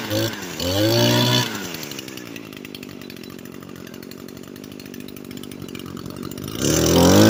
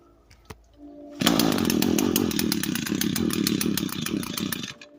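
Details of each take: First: Echo SRM 225 two-stroke trimmer, fixed after a no-start: settles to a steady idle between crisp throttle blips that rise and fall cleanly, no bogging or stalling; owner thinks earlier dying was WD-40 residue. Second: Echo SRM 225 string trimmer with broken choke, would not start per owner: starts but runs rough and uneven, revs sagging and bogging down; bad spark considered among possible causes.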